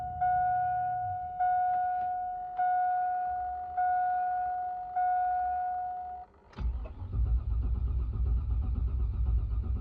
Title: 2002 GMC Yukon (crank but no start)